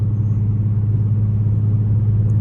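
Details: Infiniti G37xs driving after axle replaced, at 32°F: smooth steady low road rumble, no hum, growl or clicking rising with speed; wheel end sounds healthy, repair fixed it.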